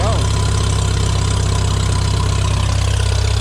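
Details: Farmall M tractor, idling after ignition points were cleaned and gapped following a month-long no-start: steady low chugging idle, even beats about 150 a minute, no stumbling or misfire; runs clean with oil pressure up.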